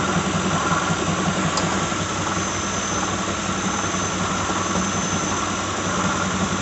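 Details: 2006 Lincoln Town Car, just started cold: steady whirr with faint irregular rattle and occasional light knock over smooth idle; owner names a bad harmonic balancer after coil packs, plugs, pulleys, alternator, belt and cam sensor didn't fix it.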